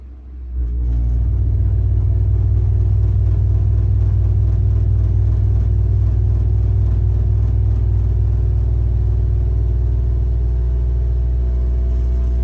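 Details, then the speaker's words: Worcester Bosch 30i ErP boiler, about five years old, fires into a heavy, low, pulsing loud roar customer called banging; case off reveals the rear air intake silencer missing, causing the rumbling. "Customer says boiler's making a really loud banging noise and they've had to turn it off, so let's see what we can hear."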